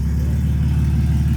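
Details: Car with whole exhaust snapped off from the headers back and dangling, effectively straight piped, driven about half an hour like this: loud raw blatting roar with deep throb, like no exhaust at all; exhaust leak.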